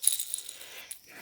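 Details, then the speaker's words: Original factory bevel bearing removed from a Kawasaki Vulcan 1600 Mean Streak, blamed for the clutch vanishing: shaken by hand it gives a loose, tinny metallic jingle, badly worn with excessive play. "The reason why, our bevel bearing, this is the condition of the original factory fitted bevel bearing."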